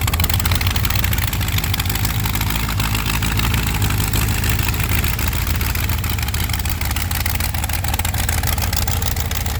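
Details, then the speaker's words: Supercharged 512 big-block Chevy V8 with intercooler, Dart block and heads, roller lifters, Dominator EFI, fuel pressure at 43 psi: loud, heavy lumpy idle with deep steady pulse and blower whir, no knocks; healthy startup. "So that, I don't know if you guys can hear it well, is what she sounds like."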